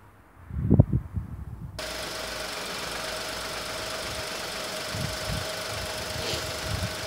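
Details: Petrol engine after a cylinder 3 misfire (code P0303) caused by a coil-over-plug unit that produced no spark. With the coil-over-plug units refitted and injectors reconnected: a few handling thumps, then a steady, even idle with no stumble.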